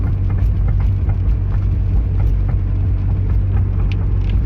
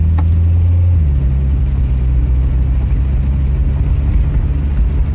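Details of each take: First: Car fitted with aftermarket rear suspension parts, recorded from inside with the rear seats down. Under the low road rumble, sharp loose knocks and rattles come with each bump; suspension rattle, cause unknown, and a nut and bolt check is planned. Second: Car after reinstalling OEM suspension parts in place of aftermarket ones: steady low road rumble over a bump with no knock, clunk or rattle from the corners; suspension tight, no rattle.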